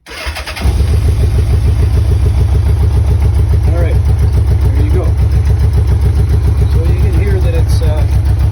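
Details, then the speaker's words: 1984 Honda Goldwing Aspencade flat-four with modified loud exhaust, cold start on choke in neutral: low, lopsided thump about three to four beats a second; one pipe stays ice cold, so one cylinder isn't firing, running on three. "this is the rear pipe starting to get warm yep and this one is ice so that cylinder she's now running and that's the issue that i'm gonna have to get out"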